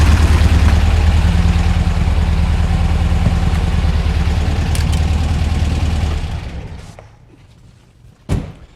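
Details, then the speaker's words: 1964 VW Beetle with dual EMPI carbs after syncing and freeing a binding passenger-side linkage: strong, steady pulsing note with immediate throttle response, no popping or lag, then dies away cleanly at shutdown. "Throttle response, right there. That's what you want. No popping, no lag."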